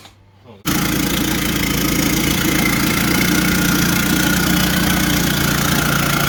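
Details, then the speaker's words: Big-turbo Ford Courier diesel ute, first start after rebuild with system primed: catches after short crank, then uneven idle with loose irregular clatter that never smooths out; fuel governor suspected, not confirmed. "at the end of the day we weren't actually able to get it to idle properly just there's something wrong with the fuel governor"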